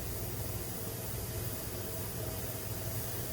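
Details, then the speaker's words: Pressure canner of potatoes on a gas stove venting steam for 10 minutes before the weight goes on (10 lb for altitude); steady, even hiss over a low burner rumble, no sputter; normal venting. "so now i'm going to put a timer on for um 10 minutes and let that vent so it's been vented for 10 minutes now"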